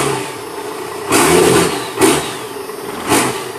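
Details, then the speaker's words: 1996 Cummins 12-valve diesel, automatic, P7100 injection pump, 180 hp, extended cab 4WD, mixing coolant, run briefly with no smoke: idling with three quick throttle blips that climb and drop back cleanly, normal throttle response. "there she is running 9612 valve automatic P pump 180 horse just did crank it up it's mixing coolant so I'm only going to run it for a second not smoking any clear exhaust I'll Pat the throttle for you here"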